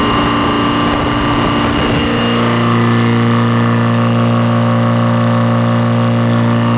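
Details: Detroit diesel that sat a long time, fuel air bled, just started and warming: busy start, then settles into an even, steady idle drone with no knocks or misses; oil pressure up, no smoke, belts loose; normal idle.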